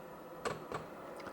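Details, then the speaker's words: Hcalory 12V 8kW diesel air heater restarted after sitting 7 months, unprimed, set to 80 degrees, during ignition: faint sharp ticks, about four in a second and a half, the dosing pump pulsing normally. "All right, it looks like we have just gotten to where it is starting to try to ignite, and you can hear the pump."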